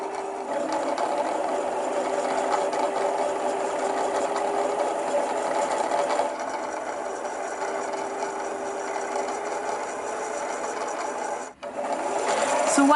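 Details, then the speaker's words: Sewing machine winding the bobbin with the foot pedal pressed, thread guide moving up and down to wind evenly: smooth steady whirr with light regular ticking at constant speed, then it stops on its own; normal bobbin winding. "while the machine's winding it, you can see the thread is going up and down. And that's your machine's way of evenly threading the bobbin as it goes through."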